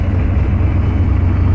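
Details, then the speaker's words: Chevy 6.5 turbo diesel with DB2831-4911 injection pump, after pump rebuild and cam plate timing tweak: deep idle rumble with uneven wavering beat; idle surge (shimmy) persists. "bad news is that it still has the shimmy and it's not great."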